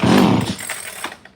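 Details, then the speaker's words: ECS-356 Japanese chainsaw found in a barn, old hard fuel line, with choke on starting fluid: loud rasping two-stroke burst that fades within a second; fires and runs briefly, good compression, sounds healthy. "this thing did fire kind it did I promise like a fire in a kind of a run little choke man sounds good"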